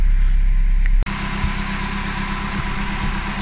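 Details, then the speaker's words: Opel Corsa D, Z14XEP 1.4 16V 90 hp petrol, first start after timing chain kit replacement: steady low idle with light, even injector ticking and no chain rattle; only injectors heard, healthy. "Vous on n'entend pas du tout le timing, on n'entend que les injecteurs"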